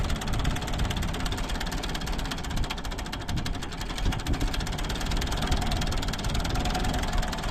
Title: Ford 3910 engine misfire.